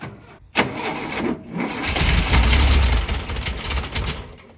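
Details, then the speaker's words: 40-plus-year-old VW T2 Bay Window camper parked for 18 months, battery possibly weak after earlier failed attempts: short cranking burst, then it catches and settles into a lumpy, uneven run. Normal start. "there we go after 18 months a couple of turns of the key probably getting a bit of fuel through and start it up"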